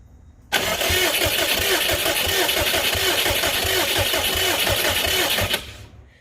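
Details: Subaru Brat with WRX engine swap, long unstarted, plugs found wet: steady starter churn at about three beats a second for five seconds, never fires; cranks, no start; split injector harness seen but not thought to be the cause.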